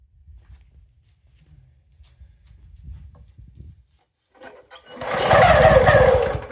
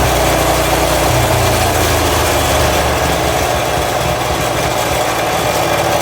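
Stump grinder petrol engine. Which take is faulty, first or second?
first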